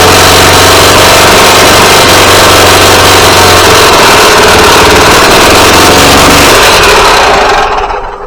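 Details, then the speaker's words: Yamaha G29 golf cart engine after full rebuild (rod, piston, rings), before repair; noise later cured by replacing crank and cam, gears suspected mistimed. Harsh, busy mechanical gear-type clatter over running engine: engine mechanical noise. "Okay guys, so now that you've heard that nasty noise, I've went ahead and got this engine out 3 times now because I could not for the life of me figure out what these noises were."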